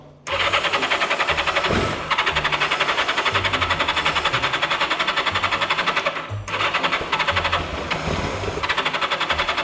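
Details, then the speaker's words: Turbo Yamaha motorcycle, unused about 40 years, after relay-connection fixes: fast cranking near four pulses a second with material blowing out of the exhaust. It sounds like it wants to start but won't catch; fuel starvation. "Sounded like it wanted to start, though."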